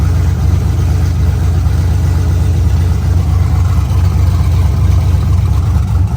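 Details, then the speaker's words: LSA-swapped Chevelle with new spark plug wires, first start on open headers: loud, lumpy V8 burble at idle, steady deep pulse, no ticks or misses. All cylinders around 300 degrees; dying possibly blamed on O2 sensors near header ends. "I do know that thing's getting some cutouts because that sounds too good not to roll into a car show sounding like that."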